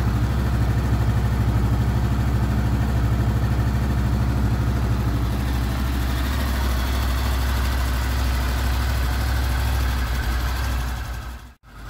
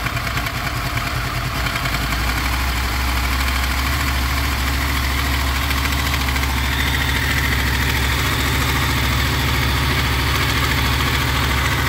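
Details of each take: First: Smooth, even idle of a Honda VFR800 VTEC V4 with 58,200 on the clock, first start after cam chain replacement; no ticking or rattle. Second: Honda VFR800 VTEC V4 motorcycle, 58,200 km, idling: light metallic knock heard mainly on the right side from the front cylinder, comes and goes with revs; timing chain rattle, later replaced.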